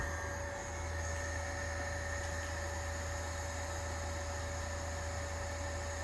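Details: Carrier ECM motor run from a VFD gives a steady low hum with constant high whine and no knocks or scraping; motor spins smoothly, normal operation.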